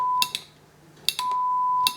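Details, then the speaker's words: NUX Horseman guitar pedal under repair for suspected 4053 multiplexer fault; relay clicks then a clean steady 1 kHz test tone passes through in relay true-bypass mode; test tone passing in true bypass. "now now what happens now that we're in true bypass mode going through the relay it works"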